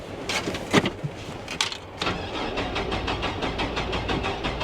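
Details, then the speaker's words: 1999 GMC Sierra with 175,000 miles cranks with an uneven beat, some compression strokes weaker than others, and never starts; the fuel pump can be heard and the oil looks good, so uneven compression is suspected but unconfirmed. "Nah. Nope, there's something wrong with this one. That's a shame. It does not sound very good, does it? Definitely sounds like it's a little uneven on the compression there."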